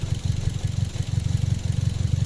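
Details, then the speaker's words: Toyota Vios with NZ engine, exhaust popping (palyado); lumpy rough idle with uneven throbbing pulses, shaking and vibration, likely misfire, no trouble codes stored; suspects spark plugs, throttle body, ignition coils, filters. "So ito ay NZ. May alog nga siya, may nginig."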